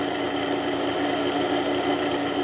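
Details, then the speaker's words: Pellet stove exhaust blower before bearing replacement, with both top and bottom bearings shot: steady motor hum with a rough, raspy whir and faint squeak, not even as loud or squeaky as it normally gets. "right there both top and bottom bearings are shot so today I've got new bearings I'm going to replace it this is not even as loud as it normally gets it gets really squeezy but you know"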